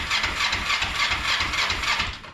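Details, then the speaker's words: Kawasaki Ninja 500R cranking with fuel disconnected, to check the oil light: steady starter churning at about 4-5 pulses/s that never fires and winds down. Oil light stayed on. "Oh yeah, I don't have fuel hooked up to it right now."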